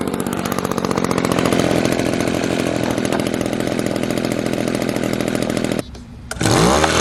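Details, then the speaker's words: Echo PB-200 two-stroke leaf blower, found abandoned roadside, after cheap fix (carburetor line and bracket refitted): strong steady buzz holding even speed several seconds without surging or dropping out; normal running. "well there you have it four dollars and a couple minutes of my time i got a good running leaf blower"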